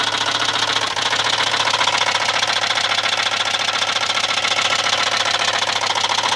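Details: Volvo 850 Platinum turbo engine at idle: sharp, even knock about three and a half per second standing out clearly; one of the rods, not the cams, needs new bearings.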